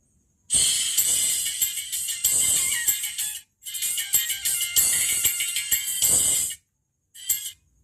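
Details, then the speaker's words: Ashley ACT500Pro active speaker after replacing the faulty JRC 4580 SMD op-amp and cleaning with thinner: music plays bright and even, no crackle or popping; output now clean and smooth. "Suaranya sudah tidak kemerosok lagi, suaranya sudah halus coy."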